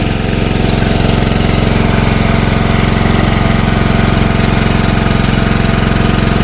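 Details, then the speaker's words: Small single-cylinder generator engine on gas after head machining, throttle fully open under about 2 kW load: loud lumpy chuffing thumping; misfiring and shaking, runs worse than before the machining. "короче щось вообще погано Ану час прикриємо заслонку Ні ну нема результата бачите його тіліпає не хоче на газу"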